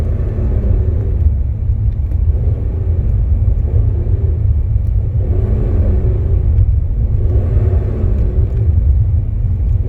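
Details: BMW E46 330Ci M54 with single mass flywheel: deep engine rumble with whirring metallic sound swelling in waves at clutch disengagement, slight clutch pedal vibration; cause suspected, not confirmed.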